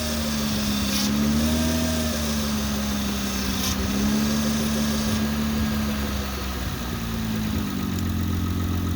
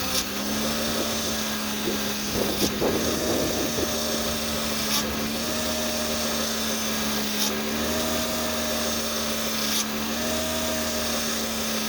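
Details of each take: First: Honda/Acura V6 (2003–09) after the power-steering whine fix, a new O-ring on the pump inlet tube and Honda genuine fluid: an even idle with a soft hum shifting slightly as the wheel turns; no pump whine, the steering pump sounds healthy. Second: 2003-09 Honda/Acura V6 power steering pump whining at idle as the wheel is turned: steady drill-like whine, swelling every couple of seconds; inlet tube O-ring pulls air, worse when cold; fixed by replacing O-ring.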